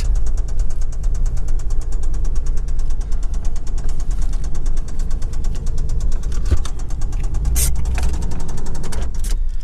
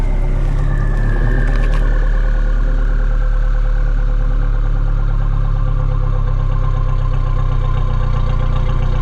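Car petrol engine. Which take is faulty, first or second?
first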